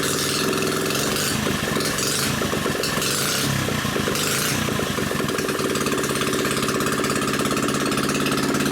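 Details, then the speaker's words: New Predator 79cc single-cylinder engine, muffler removed and drag pipe fitted for an RCF micro minibike; loud, raw, crackly bark at a steady fast idle through the open pipe, running evenly with no misses. "All right, let's see what this sounds like with the drag pipe on it."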